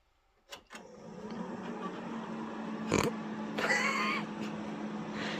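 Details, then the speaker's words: Old workshop PC powered on that will not POST: steady low hum with rough, uneven whirring on top; owner suspects the fans are worn out. "i think the fans are pretty much shot and i can't get it to post or anything"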